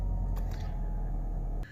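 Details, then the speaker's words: Alfa Romeo 147 petrol at idle, with a deep steady even rumble and no rattle or diesel noise from the engine bay; the variator is good and the cam belt is due. "listen for a rattle from the engine bay it should sound like that with no diesel noise at all"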